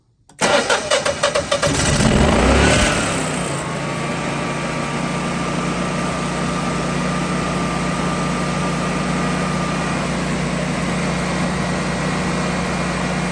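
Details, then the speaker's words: Generac generator with slow-crank fault and four-to-seven-year-old battery, after battery charging, manual start: quick, brisk cranking for about two seconds, then it catches and runs steadily; normal cranking and start. "definitely is cranking over a lot faster and she starts up pretty pretty good"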